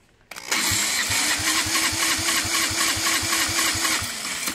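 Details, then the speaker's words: See-through engine converted to EFI, first start attempt on the stock head: the starter whirs with soft, even compression pulses about four a second and never fires. Compression leaks through a small crack inside the head, to be TIG welded. "I tried to start it the way it's set up right now with the stock head and just get some numbers straight in the computer but I was losing compression and I realized and remembered that this is the problem right here is this little crack inside the head"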